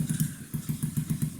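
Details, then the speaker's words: 2009 Skyteam Badboy (PBR) 50cc four-stroke Chinese bike, after an oil change, vacuum leak fix and raised idle: small even thumps at steady idle, about six or seven a second, no hunting or rattling; healthy running. "constantly the same noise while idling. No going ups and downs in revs. No weird rattling noises."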